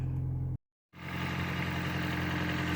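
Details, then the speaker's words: 2006 Toyota Prius, high mileage, just after DIY spark plug change with check engine light on: low steady idle with slightly uneven pulse under a hiss; runs but somewhat rough, owner attributes it to many miles. "doesn't sound the best but what can you say she's got a lot of miles on her"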